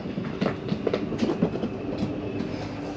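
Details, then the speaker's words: Catalina Legacy 263BHSCLE RV slide-out retracting with doors closed: steady motor hum with light rhythmic clatter, room comes in quickly and evenly; normal retraction. "You see your slide starts to come in rather quickly."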